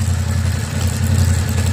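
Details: 2022 Yamaha Tenere 700, almost 10,000 on the clock in six months, cold idle: steady engine with a light, persistent clatter from the front under the cover; weird noise, source not pinned down.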